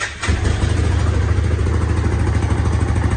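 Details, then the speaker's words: Hisun 550 UTV single-cylinder that lost power and would not idle, after replacing the clogged fuel injector and adding a 30-micron fuel filter: steady, even idle thump, stays running without stumbling. "this sounding better idling a lot better you heard before it wouldn't even stay up running"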